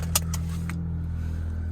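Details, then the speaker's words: 2011 Ford Fusion SE, 172,000 miles, started from the driver's seat: a few clicks at start, then a low, steady, even idle hum with no knocks or misses; engine runs smooth, no warning lights. "engine runs nice and smooth uh transmission shifts nice and smooth uh no issues there"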